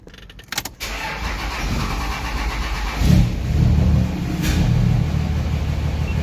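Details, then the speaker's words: Diesel hotshot truck, start before the valvetrain and head stud work: brief key rattle, short crank, catches on the first crank in about three seconds and settles into a steady, even idle while waiting for fuel and oil pressure. "First crank, no problem. Wait for fuel oil pressure, and let's go flip it around."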